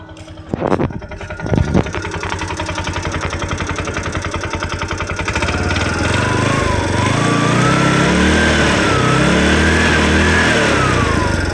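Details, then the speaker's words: TVS King that would not start, running again after the injector was cleaned and fuel delivery restored: catches after two short cranks, settles into a steady even idle, then revs up and down cleanly; healthy. "So paandarin lang natin. So ayan okay na siya mga lods."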